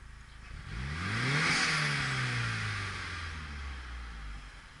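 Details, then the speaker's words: Mitsubishi Galant with RC 550 injectors, after fixing vacuum leak: quick rev with intake hiss sags briefly below idle then settles at 800 rpm; O2 reads 0–0.6 V, still lean, idle mixture richened. "yep 800 RPMs still looks a little lean though 0 volts to 6/10 of a volt I'm going to fatten up the idle a click and try it"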